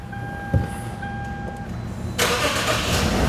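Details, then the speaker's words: Lexus V6 with 114,000 miles, restart after engine internal repair, new belt and plugs: quick crank catches at once, clean rise in revs, no knocking or stumble, little smoke; runs healthy. "okay totally normal totally normal we had a lot of stuff disconnected for a long time oh yeah wow not really that much smoke just a little"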